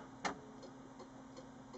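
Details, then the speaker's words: Samsung CLX-2160 printer, with earlier scanner and paper-feed faults, at power-on: one sharp click, then soft ticks about three a second, no motors spinning, just a blinking LED. Rhythmic ticking at power-on, cause unknown. "Doesn't sound good. A blink. A little bit of LED showing up."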